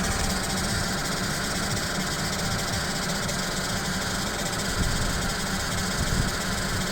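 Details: Toyota RAV4 CVT, cold start below minus 20 °C: steady idle with a faint even hum that lasts about 5–7 minutes until warm, then disappears; transmission whine when cold.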